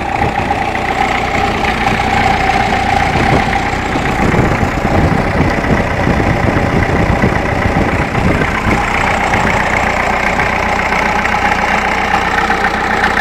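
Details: Ferguson TEF 20C diesel tractor after rebuild of injection pump and engine, charger/dynamo currently broken: steady, even diesel chug at idle, firing smooth and regular with no knocking or misfire; normal diesel idle.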